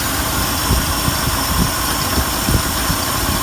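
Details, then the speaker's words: Old car after brake and carb work, oil not yet changed: steady low idle with a soft, even pulse and no ticking or clicking, not smoking; belt squeal earlier; engine sounds healthy. "no clicking or ticking or anything I think it's stuck with you there a little bit definitely need to definitely need to smoke and it's not smoking that sounds nice nice car"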